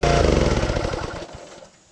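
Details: Wood splitter small single-cylinder engine that wouldn't start after running out of gas with hydraulics engaged, now running after freeing a stuck detent valve: quick, even chugging with no knocks or misses before fading out; runs normally.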